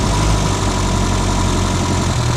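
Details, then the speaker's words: Reliant Robin idling with battery charge very low from a failing alternator putting out only about 12 V: uneven idle, misfiring as low current starves the ignition; smooths once charge rises; alternator replaced with a more powerful one. "the current is so low in the battery, it's taking it away from the ignition system. Now, as you can hear, it's misfiring because it's not. As soon as it brings the charge up, it's fine."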